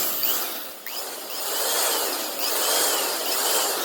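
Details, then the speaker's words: Old corded Proven Special drill with noisy bearings, after cleaning out old grease, oiling and reassembly: runs with a steady, airy, high-pitched whir, no grinding or rattle; normal running. "Oh, she sounds so much better."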